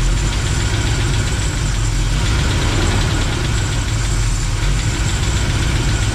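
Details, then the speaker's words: V8 truck engine with mild RV cam, under 5,000 miles, lost compression on one cylinder on second day driving: loud, lumpy idle with uneven beat and light top-end tapping on one side; owner suspects lifter, flat cam or bent pushrod. "that's in the top end though sounds like it's on this side let me put cut over [Music] here yeah I think it's on this side you guys hear [Music] that I mean that's a lifter I believe but why could be just a clap lifter"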